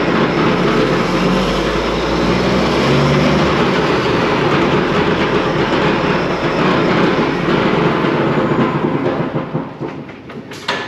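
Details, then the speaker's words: Truck noticed making a noise after backing out of the shop, first suspected U-joint then right-side drive axle (axle tube pulled, louder on right); steady clicking about three clacks a second under the driveline rumble as wheels turn; broken tooth in the power divider, reman needed. "So we have determined that we've got a power divider that has a broken tooth or something."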